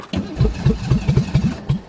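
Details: Ford Taurus convertible cold start in deep snow: the starter cranks in uneven pulses, about eight compression beats, as the cold engine struggles, then it catches and starts to run.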